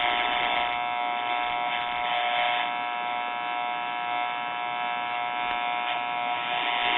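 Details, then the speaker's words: RCA Victor model 96T4 1939 tube radio powered on. A constant raspy buzz comes from the speaker with no audio behind it. Open filter and isolation capacitors are indicated. "Let's see what we got on our filter capacitor. Alright, I'm hearing racket from the speaker, so that tells us that something's going on."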